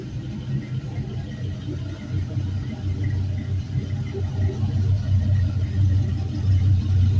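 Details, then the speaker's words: 5.3L LM7 Gen 3 V8, 2004 Suburban, 140k miles, warming on a test stand to about 150°F coolant; deep steady even idle, no knocks or ticks, very quiet, no leaks, alternator charging 14.2 V. "this thing's awesome it's so quiet"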